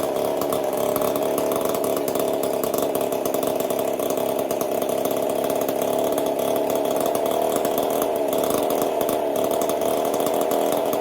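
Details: Chainsaw fitted with a 372 carburetor, repaired ball-bearing detent and a copper-wire choke, test run after repair: steady high-pitched scream held evenly at full revs, no stumbling or surging; running cleanly.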